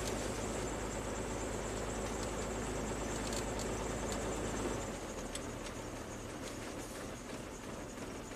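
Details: 2001 Jeep Wrangler 4.0L, second engine at 379k miles, in gear: uneven thumping about three times a second. New plugs and coil pack didn't fix it; at least one cylinder seems low on compression, a misfire from a leaking exhaust valve.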